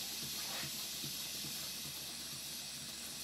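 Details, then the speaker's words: Large Stuart Models Twin Victoria steam engine started manually from the boiler; first steam condenses in cold cylinders, giving loud hiss and dull uneven knocks that disappear once water is evacuated from each cylinder end: water knock. "there's a knocking noise but this disappears once the water is evacuated from each end of the cylinders"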